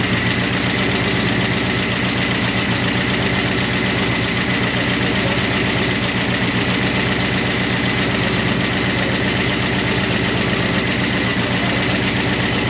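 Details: 1988 Monte Carlo SS V8 run after sitting over 20 years, idling on a temporary fuel tank: a light ticking about four per second from noisy lifters/rocker arms. The owner hopes it will quiet down.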